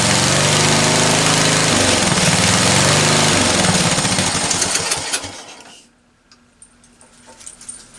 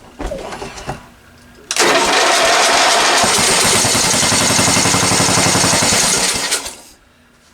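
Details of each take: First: Discarded ride-on lawn tractor after the carburetor was cleaned again ultrasonically, on choke: the small single-cylinder chugs at a fast, regular beat about five seconds before dropping away. Normal running. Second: Discarded ride-on lawn tractor, small engine fed fuel sprayed into the intake manifold: catches and runs a few seconds with fast, uneven firing, then dies. Fuel starvation; the carburetor isn't feeding fuel and the owner suspects it is ruined.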